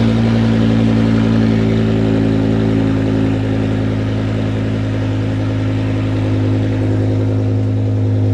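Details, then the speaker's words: 2006 BMW E60 M5 S85 V10, replacement used engine first start with exhaust off after fuel priming: loud raw open-header idle, even and steady, no misses or knocks; runs smoothly. "But man, it runs. It actually ran really smooth and we didn't have any issues underneath."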